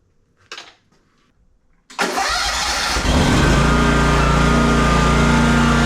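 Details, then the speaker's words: Exmark Vantage S stand-on mower with a Kawasaki FS541V engine, previously popping with low power under blade load, after repair and spacing check: quick crank and catch, then a steady, even drone with no popping or misfire; runs beautifully. "Runs just beautifully."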